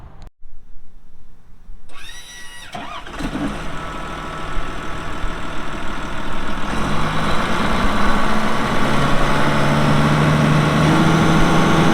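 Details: 2006 Caterpillar D4G XL dozer, 87 hp pre-emissions diesel with pre-lube system, 13,067 hours: starter cranks briefly, then the diesel catches and settles into a steady, even low rumble that firms up slightly; starts and idles normally, engine bay dry.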